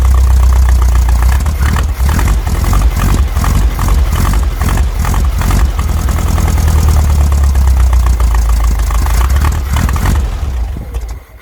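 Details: VW Brasília air-cooled flat-four after swapping a points distributor for an electronic hall-sensor ignition distributor, recorded outdoors in heavy wind: deep throbbing run, blipped up and down over wind rumble, normal running.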